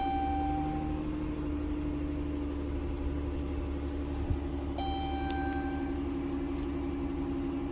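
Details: Dodge Caravan idling after a no-power, no-start fixed by cleaning dirty battery terminals: steady, even idle hum with constant low drone and a brief chime partway through; engine runs smoothly; normal idle.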